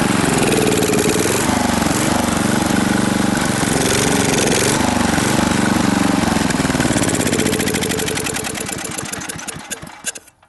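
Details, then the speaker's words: Briggs & Stratton industrial small engine with a new carburetor and a corrected fuel pump hookup, intended for an air compressor. Steady but uneven beat whose speed hunts up and down, then fades and stalls, possibly out of gas: surging. "it's probably running out of gas now i let it run for a little while it's running okay it's still kind of surging but that don't really matter for an air compressor as long as it's running"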